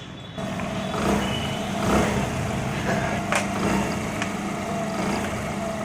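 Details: Hero Honda Splendor Plus after a half-engine (top-end) rebuild runs and picks up cleanly with a steady exhaust note, no knocks or rattles, and no smoke where it smoked heavily before; normal running.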